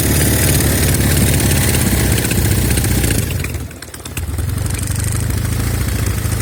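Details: Norton Commando twin at idle with a left-side misfire: uneven, lumpy beat with a brief stumble. Carbs, ignition, plugs and cables are ruled out, no air leak was found at the manifolds or head gasket, and the left side smokes on throttle-up.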